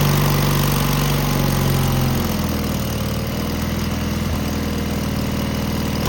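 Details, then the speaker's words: Cub Cadet tractor with Kohler KT17 M18 twin after muffler replacement fixing a loose end-cap rattle: low twin beat stumbling unevenly, much quieter but running rough; carburetor uninspected, cause unconfirmed. "I didn't quite like the way it ran, but it is much quieter."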